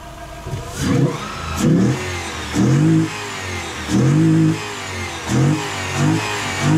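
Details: Delica L400 van with 1UZ-FE VVTi V8 swap, after removing the restrictive intake piece and airflow meter: crisp throttle blips rising and falling cleanly from a smooth idle, revving freely with no stumble; healthy.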